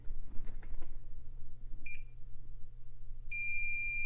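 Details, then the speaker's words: IBM 5160 PC XT restoration, continuity-testing a ribbon cable by swiping the probe across its top: over a low mains hum, a short high beep and then a longer one about 1.5 s later; each conductor good. "oh by the way here's a faster way to check these just swipe across the top of the ribbon cable here till you hear a beep that one's good"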